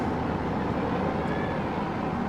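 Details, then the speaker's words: Auction truck, 322,000 miles: loud choppy rough idle, no tick or knock; misfiring badly, gauge shows no oil pressure, suspected faulty sending unit since engine isn't tapping or knocking. "and it is misfiring pretty badly okay I just I don't like that that it has no oil pressure"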